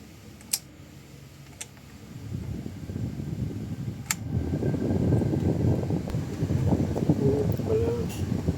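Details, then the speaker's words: Toyota Innova after throttle body cleaning; idle had been near 2,000 rpm at start and slow to drop, now steady at 900 rpm. The air conditioning is switched on: fan and compressor load come in, the engine note firms up and idle rises as it should. Normal AC idle-up. "importante mga boss pag nag-aircon kayo, may marinig kayong dapat pati yung menor noun aangat din siya. Ayan oh mga boss tingnan niyo itong menor niya. tumaas dapat ganyan"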